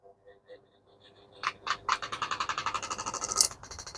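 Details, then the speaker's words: Pedestal fan with 5-wire wiring running after connection: fast, even scratchy ticking, about nine a second, as the fan blade strikes a loose wire. "यहां पे wire छू रहा है। तो इसको हम टिक टिक टिक टिक की आवाज आ रही है।"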